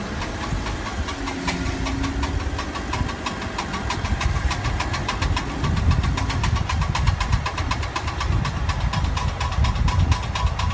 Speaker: now this sound is really more common in a front-wheel drive or all-wheel drive vehicle especially during turning usually the sound will disappear when the wheels are straight and the sound is indicative that a front CV also known as a constant velocity joint is beginning to fail